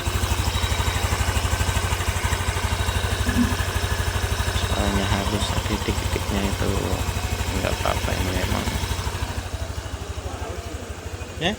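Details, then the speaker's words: Honda Beat FI 2022 scooter after engine teardown for rough grinding noise blamed on a worn crank bearing or sludgy oil: now idles smoothly with even low putter, no knock; normal idle after repair. "ternyata sudah halus seperti bawaan aslinya kita engak ada suara yang ngok-orok seperti semula"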